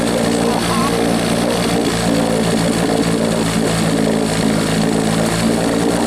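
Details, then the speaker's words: Rebuilt 1963/64 Evinrude 40hp two-stroke outboard, throttled down slow, likes the choke, peeing water: steady even drone at one pitch, no misfire; runs but can't be killed, kill switch unresolved. "can't kill it. It won't stop. But it's running"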